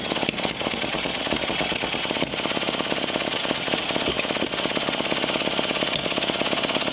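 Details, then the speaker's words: Early 1950s David Bradley walk-behind tractor engine, sat at least 20 years, previously stuck, good spark, cylinder hosed with spray lube; fast even cranking about three beats a second, no catch; compression thought to be leaking through valves, mostly the exhaust valve, which is full of junk. "I think it's just not wanting to because we've got so much leaking through the valves so much compression leaking through the valves it's just too much"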